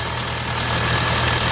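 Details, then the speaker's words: VW Bora GLI 2.0 turbo: steady idle with light metallic clatter from the top of the engine like slack tappets; worn timing chain, fixed by replacing chain, both camshafts, tensioner and cam cover. "este motor tenía un sonido en las tapas de puntería se escuchaba como bustos descargados era la cadena"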